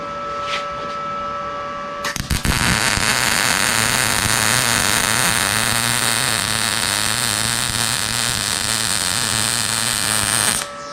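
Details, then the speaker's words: Arccaptain MIG 200 welder, nozzle held a quarter to half inch from work after being too far away: steady, even frying-bacon crackle, a normal healthy MIG arc. ">> Sounds better, huh? >> Yeah. That's That's good. Sounds good."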